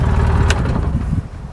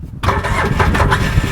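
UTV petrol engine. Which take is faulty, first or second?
second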